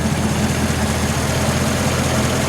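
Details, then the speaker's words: Rebuilt 1948 Ford 1-ton pickup flathead V8 (new water pump, belts, hoses, carburetor, fuel pump, 2-inch dual exhaust): deep, even low burble at idle with no ticks or knocks; normal idle. "Do you hear that? Because I sure don't hear it. Just running like a dream."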